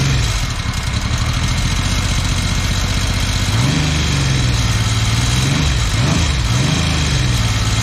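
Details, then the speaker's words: 1979 Yamaha XS750S, freshly rebuilt engine with new timing chain, first start: uneven running, not firing on all cylinders, revs rising and falling with a light rattle; timing chain noise from cam chain tensioner not preloaded correctly. "Not bad. Bit of a chain noise. I'll have to check that out as she runs. So that chain noise is actually from the chain tensioner."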